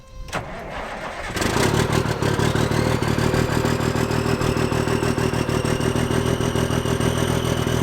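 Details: Semi truck that sat roughly 23–30 years, cold start after being revived: short crank, catches right away and settles into a steady, even diesel clatter at idle, a healthy cold start.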